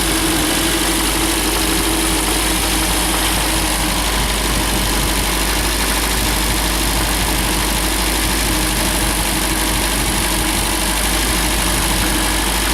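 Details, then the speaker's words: MGB GT after head gasket replacement and electronic ignition fit, warm after 15 minutes of running and driving: steady, even idle set slightly fast with a smooth low hum, holding temperature; normal fast idle. "just ticking it over a bit fast but it's holding the temperature"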